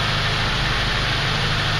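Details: ZAZ Slavuta 1.2 carburetted engine with 2nd-generation LPG kit, running on gas with no petrol in tank, choke partly pulled, in winter garage after reducer warmed with a hair dryer: steady even low rumble, no misses or knocks; normal LPG idle.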